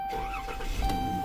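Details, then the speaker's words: Dodge Caravan that had no power and no start, started after the battery posts and negative terminal were cleaned. A quick crank catches at once and settles into a smooth even run under a steady chime; the dirty connection is fixed. "So that's what it is. Just uh dirty connection."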